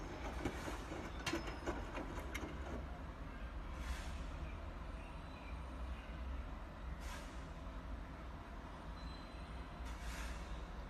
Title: Bosch Washing Machines Weird Noise